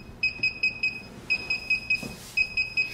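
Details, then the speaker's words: DJI Phantom 3 remote controller during an automatic firmware update (after v1.3.20): repeating groups of four high beeps with the far-left status LED solid, the normal sound while updating. "so right now it's beeping as you can hear and the status LED and the far left of the remote control is solid"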